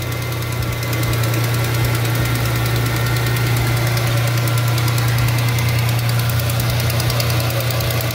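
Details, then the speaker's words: 2003 Ford Mustang V6 at idle right after a spark plug change: smooth, steady idle with a light, quick ticking puff from a small exhaust leak. "now you can hear a little bit of an exhaust leak but other than that this thing runs super duper smooth"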